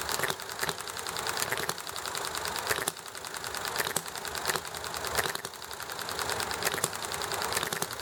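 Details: Enjomor model engine running nicely: light mechanical clatter with a sharp firing pop about once a second, coasting between beats over highway, alley traffic and conversation noise; normal hit-and-miss running.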